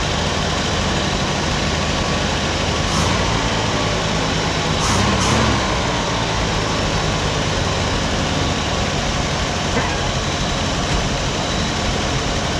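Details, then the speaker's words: 1957 Chevy after complete tune-up, cap and rotor installed, valve cover back on (may still leak), final start of the day: steady, even idle amid background noise, no misses or ticking; normal idle. "as you can see she runs sounds better i want to crank it up one more time for y'all see how it sounds with the valve cover on"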